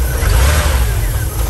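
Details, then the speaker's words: VW camper van revived after 10+ years parked, on road trip with empty catalytic converter and exhaust reattached: quick clean rev, deep even exhaust note, off-idle hesitation totally gone, normal throttle response. "it's off idle hesitation it's totally gone"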